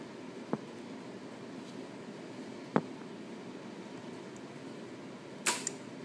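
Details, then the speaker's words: Triumph Daytona 675 won't start: only a single sharp click with no cranking, then fuel pump resets and repeats; check engine light on, after reverting from Power Commander install, fuel line and tank hoses reconnected, cause unknown. "nothing but that click, and then it resets. The fuel pump and everything goes back to doing the same thing it just did a second ago, and it won't let me start it."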